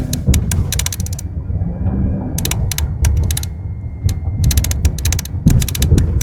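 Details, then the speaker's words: Jeep Grand Cherokee cabin, rattling over bumps at the right rear for half a year: bursts of quick dry clatter over road rumble from a loose cable and floor mat, fixed by taping the cable and trimming the mat. "针对这个车的解决呢，对于拉线来说，我们就直接用胶条把它缠住，防止它在震动。脚垫的问题呢，其实很简单，我们经过车主同意，直接把多余的部分拿掉就 OK 了。"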